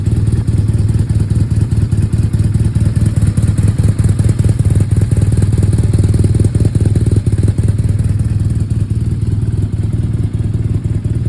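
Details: 2011 BMW R1200R motorcycle twin at idle: lumpy, uneven thump and clatter, the beat stumbling as cylinders misfire.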